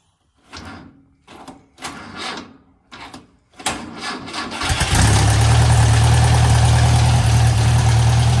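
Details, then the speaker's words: 1956 French-built Massey Harris Pony 812 tractor, Simca 9 gasoline engine, after rebuilding leaking fuel pump, started by pull button: starter churns in short bursts, catches around five seconds, settles into even low idle; no fuel leak. "And the French pony starts a little bit different than the Canadian. You got this little button to pull on here, and that activates the starter."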